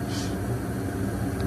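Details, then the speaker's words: Home gas furnace in heat mode, house at 45°F, after igniter heat-up and gas release: a soft, even low burner rumble holds without cutting out; the flame sensor reads flame and the furnace stays lit normally. "there's the gas sensor over there is reading that we do have heat or sorry sensor is reading that we do have a flame"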